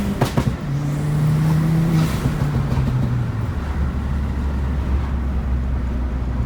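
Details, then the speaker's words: Ford Fiesta ST180 Mk7 on a quick test-drive pull after a service with new oil and spark plugs: deep engine note pulls up smoothly, then holds a steady drone under road noise, no misses or knocks. Normal acceleration under load. "Now it's time to check that everything still runs smooth, so just gonna do like a quick pull."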